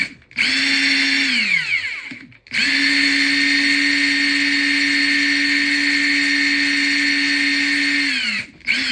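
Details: Ingersoll Rand cordless impact gun after cleaning, lubrication and tightening: steady, even motor whine spins up and winds down cleanly without the earlier mechanical rattle or catching; smooth free run.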